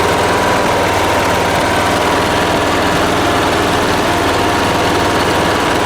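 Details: Late-1980s John Deere RX95 riding mower, after reconnecting the fuel line to the carb: steady, even note holding a constant speed with no misses or knocks; runs cleanly.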